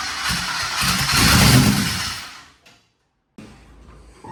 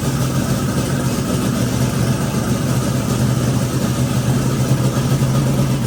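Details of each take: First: Twin turbo Nova engine: catches and runs rough and uneven for about two seconds, then dies; only one bank firing because the coils on one side were wired backwards. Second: Twin turbo Nova engine after flipping the reversed coil wiring on one bank, at idle: even, deep low rumble with no misfire stumble, firing on both banks and healthy; idle air-fuel still untuned.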